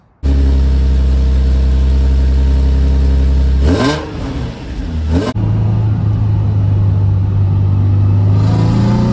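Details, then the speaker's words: VQ-swapped Nissan S13 240SX with CD transmission, stock headers and no cats, after new exhaust piping was tied into the existing system to quiet it: revs blip then settle to a deep, smooth idle, with a full, even note and no drone or rasp. "Well, that was a success. The exhaust is much better. It actually sounds like a performance Z now."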